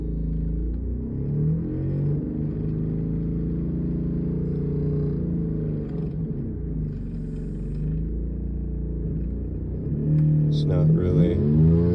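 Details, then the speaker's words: 2019 Honda Odyssey running: rough puffing rumble at idle, louder on each rev, sounding like a major exhaust leak or transmission noise; actually a failing high-pressure fuel pump, and replacing the pump fixed it. "so that is the noise we got we thought it was maybe exhaust or something rattling but what we ended up finding is it was the high pressure fuel pump"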